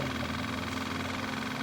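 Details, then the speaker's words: Kawasaki KLF 185 ATV fuel pump bench-tested after its tank was rinsed with gas, pumping into a glass jar with the battery on a charger, flow coming out pretty clear; steady even electric hum, low whir, no surging: normal fuel pump operation. "That keep coming out of there pretty clear, which is good. That's exactly what I want,"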